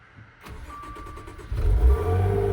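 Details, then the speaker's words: Wrecked twin-turbo Maserati, after refitting intercooler to fix boost leak: brief crank, then smooth, steady low rumble with no hiss or flutter; normal start, boost leak hopefully gone. "Oh, that sounds so much better. And the engine light may go away on its own. Oh my gosh, that sounds so much better. Hopefully that boost leak is gone now."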